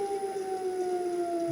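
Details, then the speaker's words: Gen1 Nissan Leaf motor on a Leaf inverter, coupled to a transmission with no gearbox oil, under very light load. Motor and inverter around 11 °C on a cold mid-October day. Clean whine slides slowly down in pitch with no grinding. Normal coast-down. "re and you can hear that's slowing down it's slowing down quite slowly because it's a very very low load on it but it is slowing down"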